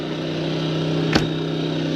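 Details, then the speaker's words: Engel 2500 W generator with eco throttle on (it idled back from full throttle), powering the Truma air conditioner in a Jayco caravan through a 10 amp lead: steady even hum, constant pitch, one brief tick, holding speed smoothly under load. "So yeah, the Engel Jenny does work with the eco throttle on. I had it on full bore to start."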